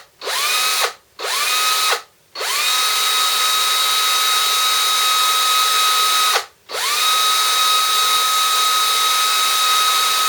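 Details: DeWalt 18V XRP cordless drill motor, after repair for smoke and burning smell: armature commutator cleaned with fine file, brushes refitted, before gearbox refitted. Short bursts then longer steady clean whine, no grinding or sputter; healthy running.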